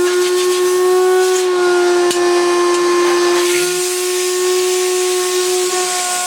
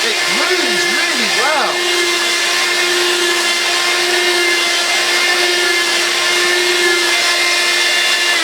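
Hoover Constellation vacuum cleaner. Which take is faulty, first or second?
first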